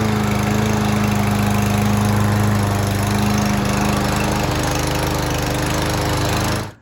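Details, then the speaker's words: Troy-Bilt TB110 push mower, Briggs & Stratton 550 E engine, freshly refilled with 16 oz semi-synthetic oil and Seafoam-treated gas: tough to start, then pops along with an uneven, slightly lumpy idle beat before cutting off. Rough idle, not too bad. "right, that was a little tough to start up initially, but once it was going, it ran pretty good. It was a little rough idling, but it wasn't too bad."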